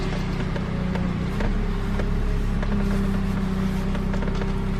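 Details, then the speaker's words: Honda (Accord) power steering after vacuum-assisted bleeding, engine idling, wheels on ground turned lock to lock: steady even pump hum, no groaning, gurgling or foaming, good assist; normal power steering operation. "Should turn smoothly. Good power assist. That's a test for power steering with the wheels right on the ground."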